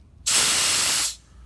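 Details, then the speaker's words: Gas tank regulator with a worn washer, valve opened with gauge at zero: loud, steady hiss of escaping gas for about a second; leaking regulator washer, needs replacing. "washer his bad is whenever you open it and the gauge is at zero and you'll hear that hiss that"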